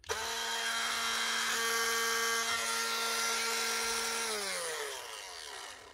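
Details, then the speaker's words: Clipster cattle clippers in for repair, heads rusted: rough, gritty whine and rattle through the gears, winding down unevenly. A stripped gear inside is suspected. "Not good inside, anyway. Sounds like there's a strip gear."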